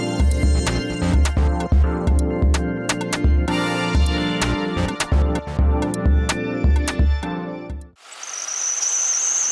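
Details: Ford Crown Victoria idling with a thin, high, steadily pulsing squeal from the engine compartment, traced to the serpentine belt, slipping; serpentine belt squeal, temporarily fixed with belt dressing spray.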